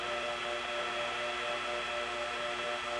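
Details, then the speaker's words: 1977 recording, Smyrna GA T-carrier trunk to 87 office, weather line reached then trunk reset, Smyrna dial tone gone; steady high-pitched whine over faint hiss; typical T-carrier whine. "Now the new dial tone is gone, but of course we also have the typical whine of T-Carrier."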